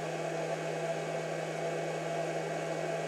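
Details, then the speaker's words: Pyle 600 W 12 V-to-120 V power inverter switched on, quieter than the other unit: loud constant cooling-fan whoosh over a steady hum, no rattles; fan and inverter working normally. "watt one okay here's the 600 watt inverter we'll just turn it on and you can hear that it's not as loud as the other one but of course it's got the fan running as well"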